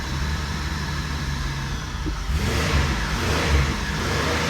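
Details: 2005 Buick LeSabre 3800, misfiring and running rich once warm, no codes, O2 sensor replaced, fuel pressure about 60: catches and runs with deep, slightly uneven beat building at the end; rough running.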